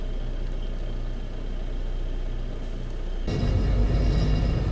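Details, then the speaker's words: 1996 Chevy S10 2.2 L with over 260,000 miles, sat over two years, driven after injector circuit checks for misfire and P0200; steady low rumble that picks up evenly under acceleration with no misfire stumble, running fine. "so truck is going which is running fine"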